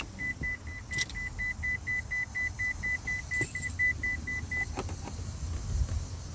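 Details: 2001 Ford Escort ZX2: steady high beeps about twice a second for several seconds over a quiet background, caused by the headlights being left on. Lights-on warning chime.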